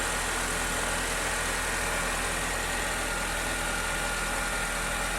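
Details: 2008 Honda New Civic, first cold start after sitting overnight, after fluid change: smooth even cold idle, steady hum, no whine, chirp or metallic noise from belt side; healthy.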